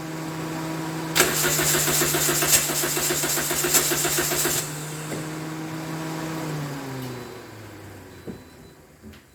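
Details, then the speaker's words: 2010 Toyota Corolla 1.8, towed in, in neutral, no dash lights, radiator fan on with ignition, battery recently replaced: steady cranking about four turns a second for three seconds, never fires; crank no start from suspected electrical fault. "The radiator fan comes on, and as I was trying to crank it over, the engine only cranks, but it will not start."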